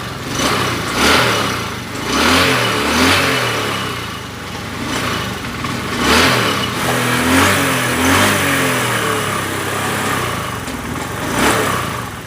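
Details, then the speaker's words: Honda Beat FI 110 scooter with hard starting and stalling whenever the throttle is released: revs freely when blipped but sags and stumbles at low rpm. Mechanic first suspected a weak fuel pump; the cause was exhaust valve clearance set too tight. "saya jadi kadang-kadang digas itu enak kalau sudah mencapai RPM yang agak tinggi di gas-gas enak tapi kalau RPM rendah itu susah mirip juga saat fulpam ini lemah begitu ya"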